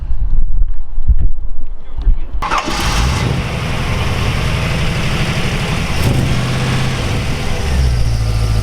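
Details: 1955 Oldsmobile Super 88 with ZZ4 350 V8, Holley 4-barrel carburetor, GM HEI ignition and 700R4, about 37,000 miles: quick crank, then the V8 fires and settles into a steady, lumpy low idle with no knocks or misses; healthy start.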